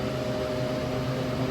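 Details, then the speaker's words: Walk-in freezer unit, after being stuck in defrost: steady even compressor and fan hum, no shrill whistle indicating low refrigerant; pressures okay, slightly low due to cold outside; runs normally. "all right so now we're cooling it doesn't sound low because this one gives a real high pitched sound when it's like low on frame and it's already cooling"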